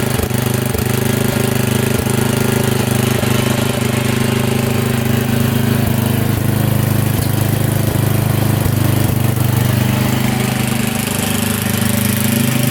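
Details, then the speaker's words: Craftsman riding mower with Tecumseh single-cylinder engine leaking oil from a seal, after cleaning a fouled plug; steady even drone at constant speed with no misses, knocks or hunting, running cleanly though using a lot of fuel. "oh she's running real good but it uses a lot of fuel"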